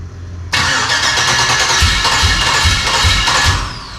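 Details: LS-swapped Dodge Dakota sitting a year, first start attempt with the coolant system not yet hooked up and the IAT sensor unplugged: starter spins, engine catches with a few ragged coughs for three seconds, then dies; not staying lit, likely a fuel delivery fault.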